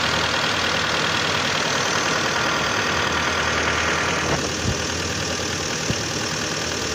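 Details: 2011 Hyundai Santa Fe 2.4 (4GKE) engine, warm idle: quick fairly regular light knock about three a second over the engine note; engine knock when hot, cause unknown.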